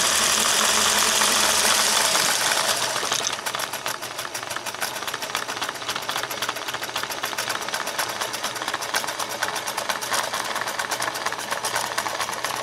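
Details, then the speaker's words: 401A aluminium sewing machine sent in for motor and gear work, running with the lid off: spins up, then settles into a fast, uneven clatter about four times a second; runs rough and rattly. "well i'm guessing you can probably hear through the camera but that is not running like it's supposed to be running uh not even close"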